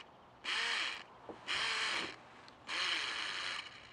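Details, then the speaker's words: K70C Sky Warrior toy-grade quadcopter motor pod after replacing two props: three short bursts of high motor whir with raspy skips as the gear slips, prop barely rotating; gear replacement planned. "So the problem I have, this isn't taking off, and the problem I have is because the gear is slipping here. You can hear it slipping."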